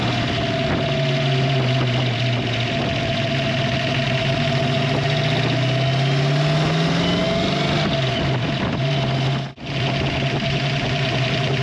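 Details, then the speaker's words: 1966 Mustang Fastback, new-build 347 stroker (302 bored) with hydraulic roller lifters and T5 transmission, at idle before valve lash adjustment: fast light sewing-machine tick over the steady V8 rumble, consistent with loose valve lash. "the reason why is I've developed a little bit of a ticking sound or the stereotypical sewing machine ticking that you can hear when the car is idling or even when you're driving"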